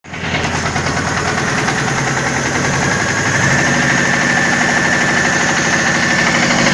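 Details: VAZ 2109, 1.8 L 8-valve 107 hp engine after engine repair: catches and settles into an even idle, rising slightly and holding steady with no knocks or misses; normal idle.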